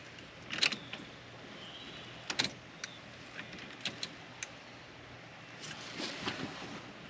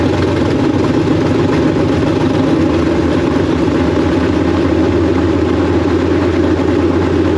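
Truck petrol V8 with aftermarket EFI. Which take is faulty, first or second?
first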